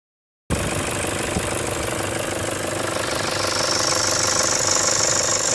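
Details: 2007 Toyota Hilux 2KD diesel after a timing belt, tensioner and alternator belt change: steady run, then a thin high whistle rises on acceleration, coming and going and first suspected at the air intake.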